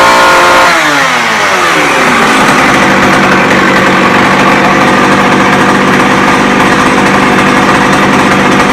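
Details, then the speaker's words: McCulloch 610 chainsaw after carburetor cleaning, high and low screws at half a turn, started on choke. Revs climb smoothly and hold a steady high scream without stumbling; normal running. "oh wow she runs like a champ"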